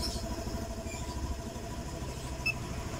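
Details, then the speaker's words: Scooter with CVT that stalled by itself, after repair: quiet, steady idle around 1500 rpm with even low beat, engine still warming at 69 °C while O2 sensor correction is active; no knocks or rattles, normal. "normal putaran mesinnya d1500 normal syarat Rp100 dua ini kerja ya Masbro ini perhatikan syarat O2 ini kerja ini harus di 1500 minimal dan juga suhunya harus di 80-an ini kan masih 69 jadi masih melakukan koreksi"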